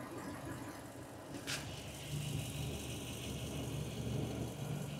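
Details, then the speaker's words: 2002 Toyota Tundra 4.7 L V8 with fuel injector unplugged to show a lean cylinder: uneven lumpy idle with a stumbling rhythm, one cylinder dead; induced misfire. "now it's going to go completely lean right so I'm just going to disconnect the fuel inductor"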